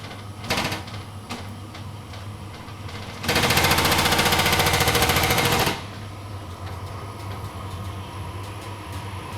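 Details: Vokera Linea 726 boiler, running on hot water and heating: low hum, then a loud rattling bang of about two seconds as the burner lights, settling afterward with no pressure change. Hot water and heating still work.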